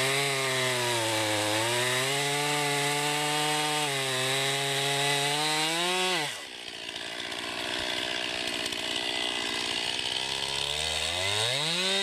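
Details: 2020 Stihl MS261 chainsaw, non-M-Tronic standard-carburetor version, 20-inch bar, cutting oak: high buzzy scream at full revs sags briefly as the chain bites, then holds steady through the cut; normal, healthy saw pulling well under load.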